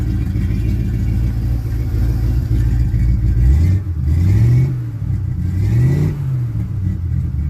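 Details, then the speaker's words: 1967 Chevy C10 V8 start after fitting a new Wix fuel filter, no fuel leaks; deep rumble blips up cleanly and settles without stumbling, running a little better than before. "sounds a little better. Alright, y'all are my witnesses. I don't have no leaks. That already sounds like it's running a little bit better."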